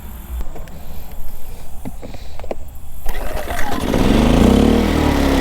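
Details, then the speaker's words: Generator started after fitting a new replacement part: a few rough pulls and coughs, then it fires right up and settles into a steady, even drone. Normal running. "Fired right up. That's a good sign."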